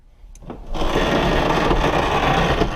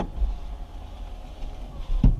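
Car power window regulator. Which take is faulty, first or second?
first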